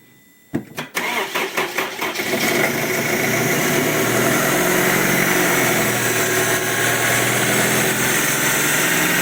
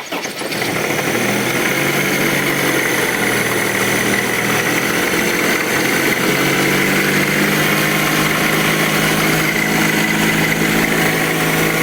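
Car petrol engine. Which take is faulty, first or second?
second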